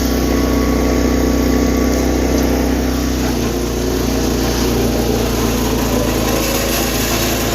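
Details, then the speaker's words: 210 lawn tractor, best-running unit, being readied for sale; carburetor bowl gasket leak being fixed with rebuild kit. Engine runs steadily under a loud ringing noise while driving that stops when the brake is pushed slightly; owner suspects the pulley, unconfirmed. "I think that's the pulley making that noise."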